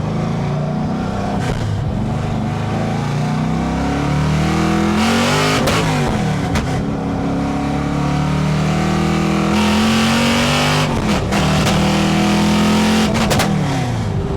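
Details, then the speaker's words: Carbureted V8 drag car with rev limiter set at 7,000 on a test drive: loud revs climbing, then power cuts abruptly several times under throttle; not the limiter, the battery had slid back and its terminal was shorting. "Oh no. Yeah, it's cutting out. There's something in electrical. So that wasn't a rev limiter."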